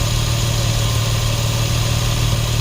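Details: 2004 Nissan 350Z 3.5L manual, brought in for crank-no-start suspected immobilizer fault, warm after running about 10 minutes: smooth, even low hum, steady loudness, no knocks or misses. Normal idle.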